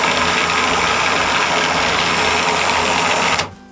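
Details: WARN 2000 winch wired with remote receiver and solenoid, run paying out on the remote; even high-pitched motor whir at steady speed, cutting off cleanly; winch motor runs smoothly.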